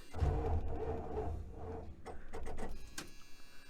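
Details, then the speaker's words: 1976 Dodge Dart 318 V8, fitted with a brand-new but weak battery, and the positive cable has corroded screw-in connectors: a sluggish, uneven churn of about three to four turns a second that fades and never catches. Slow cranking; a dead battery is suspected. "so we've got the new battery in i'm sure this is gonna take some cranking but hopefully we have better luck at getting fired up this time how even this battery sounds a little weak"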